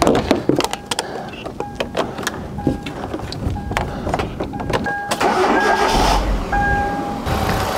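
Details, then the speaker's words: Cheap drag-race challenge car, restarted after charging the battery, cleaning contacts and tightening a loose battery terminal and earth: scattered clicks and short cranking bursts before it catches and runs unevenly; still a reluctant start, cause unconfirmed. "let's see if it starts now no still not brilliant"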